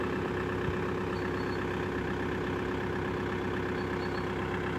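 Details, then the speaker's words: 1999 Audi A4 Avant 1.9 TDI diesel, first start after weeks buried in snow in very cold Hungarian winter: steady, even low rumbling idle with no knocks or misses. Normal cold diesel idle. "as you can hear it the diesel engine starts for the first time"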